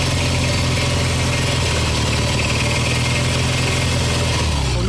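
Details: Kawasaki W1SA twin, tappets already adjusted, revving: hard metallic clicking rising with revs, only when accelerating, not on closing throttle; found to be light scuffing of left piston and connecting rod-to-crank play (rod knock).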